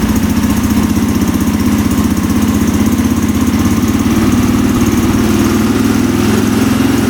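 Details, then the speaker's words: 2003 KTM SXC 625 Supermoto single-cylinder, warming up after a carburetor clean fixed its poor running. Loud even thump held steady with no stumbling or misses. It is responsive and doesn't bog down. Normal running. "Oh yeah, sounds pretty good. Wow. Very responsive, doesn't bog down. All right, so the carb clean fixed it."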